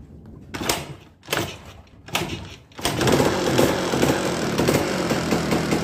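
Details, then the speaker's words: Yamaha DT 200 motorcycle engine, after refitting the magneto, which has play: rough revving blips then steady run with harsh, uneven internal rapping; loud engine knock, engine to be split open; bike had stopped suddenly. "Esse motor aqui, ó, eu vou ter que abrir ele no meio, porque ele tá fazendo um barulho muito alto."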